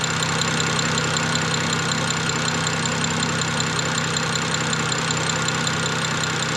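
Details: BMW E90 N54 twin-turbo under diagnosis for no boost, idling with vacuum at about 26 and the wastegate vacuum line connected: a steady, even hum with a faint light tick and no wastegate rattle. Normal idle.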